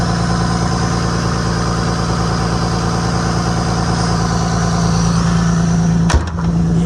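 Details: 1998 Lexus GS300 petrol, idling after AC compressor replacement, hood up: even steady idle, smooth low hum, no knocks or stumbles, brief clatter near the end; healthy running.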